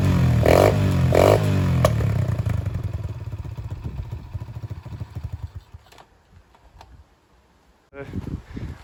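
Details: Free Dirt Master 110cc pit bike given fresh fuel and a slimed tyre: it revs up crisp and even, then fades smoothly as it pulls away, sounding like a healthy small four-stroke. It will only shift down, so a gearbox problem is suspected.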